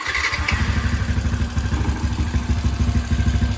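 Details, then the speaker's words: Engine from a basic budget mod with a standard boring head, racing cam and standard exhaust, just started after an oil pump, clutch plate and spring change; lumpy idle with a faint light tick, the slight tappet tick normal for a racing cam. "Biasalah head standard boating, cam racing memang bunyi tepek sikit. Dia memang macam gitu kan. Kalau macam superhead dia senyap sikit."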